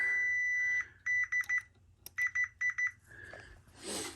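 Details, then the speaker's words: Chevrolet Tahoe with a P0300 misfire code, probing the coil pack harness pins with a multimeter: one long high beep, then two sets of four quick beeps as each pin is probed, so continuity is good on every wire. "here's my meter here and I'm going to put it on uh sound so it makes a sound so every time it gets the right one it makes a sound"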